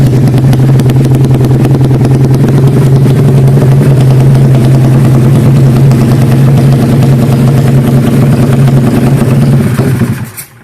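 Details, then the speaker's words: Built Honda Karisma 160 cc single-cylinder with 29/24 valves and GL CDI: loud idle with an uneven choppy beat around three per second, a lumpy idle caused by the racing camshaft. "Kedengarannya seperti mesinnya tersendat-sendat. Jadi, bagi yang bertanya, itu karena poros bubungan (camshaft)."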